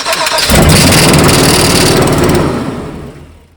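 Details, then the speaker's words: 2002 Holiday Vacationer RV with 8.1 liter Chevy engine, sat 3 years, no start; starter fluid sprayed into the intake while cranking, engine roars about two seconds then dies, confirming no fuel delivery from a failed fuel pump. "We're now going to make sure that that fuel pump is done. So grab yourself some starter fluid, because we're going to spray this into the intake and then crank it and see if the engine runs for a few seconds."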